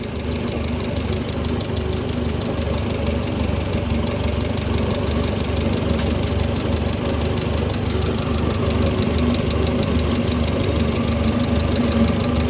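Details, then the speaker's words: Oliver Super 66 tractor engine idling right after a valve adjustment: a quick, light metallic tick keeps time with the steady idle; one valve still has too much clearance and probably needs readjusting, while the others are within spec. "I'm sure in the video you heard a little tapping yeah I'd be loud that one probably needs readjusted"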